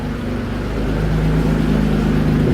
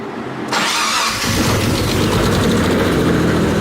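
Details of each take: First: Mitsubishi 3000GT VR4 after engine work with boost controller fitted: deep, even exhaust note climbing smoothly as engine is revved, no misses or rattles; engine runs healthy, though owner says new cams are needed. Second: Mitsubishi 3000GT VR4, first start after sitting over a year: cranks, catches, then a light quick tick over the idle from dry lash adjusters, which went away completely once oil reached the top.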